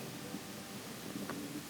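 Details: Kobe range hood from Japan, the left fan with its turbine fins spinning: a steady, even whoosh with no ticks, scraping or wobble; this fan sounds smooth and healthy, unlike the noisy right fan with suspected water-damaged bearings.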